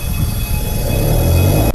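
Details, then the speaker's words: Squeaky noise while braking from the front wheels: a thin, steady high squeal over low rolling rumble as the brake pad wear indicators rub the rotors, meaning pads need replacing soon; grinding would mean replace immediately. "do you hear squeaky noise windbreaking it means brake pads need to be replaced soon"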